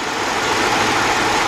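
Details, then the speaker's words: Hyundai XG350 (2002–2005) 3.5 engine after timing belt and water pump replacement, idling: smooth, even, really quiet hum with no ticking or knocking, though it ran a little rough at first and sometimes still does; normal idle. "but it is really quiet definitely great"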